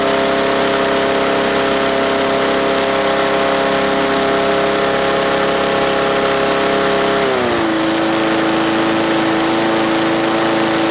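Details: Yard Machines mower with 158cc Briggs & Stratton engine running after repair with fresh gas and oil checked; smooth steady hum with even pitch that drops cleanly and settles at lower speed; healthy.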